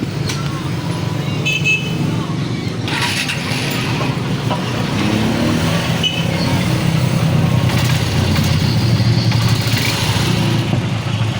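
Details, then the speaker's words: Honda XR150 running after replacing clutch body gear with original: even, steady engine run, no scraping or whine from the clutch side as heard before; normal. "So yun mga ideas ah goods na siya at hindi katulad kanina parang ganun sayad at hiling na tunog."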